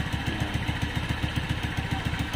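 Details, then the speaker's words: Suzuki Spin single-cylinder motorcycle, rough noise persisted after valve adjustment, fixed by replacing worn camshaft: idle with quick even pulses about ten per second, no loose tapping; engine ticking over cleanly. "Nah habis diganti apa itu noken asnya ini sudah halus ya teman-teman ya"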